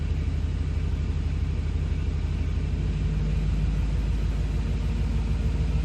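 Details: 2009+ Ford F-150 in gear, held on the brake to simulate slow acceleration: deep rumble with a coarse, buzzy vibration from a loose exhaust heat shield rattling, a common fault on any engine.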